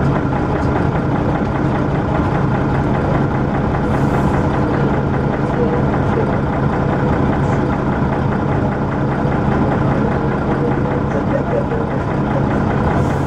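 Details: First Manchester Dennis Arrow bus 31923 (P423PVW), recorded 11 June 2012: loud steady diesel thrash with faint regular knock underneath; knock cause unclear.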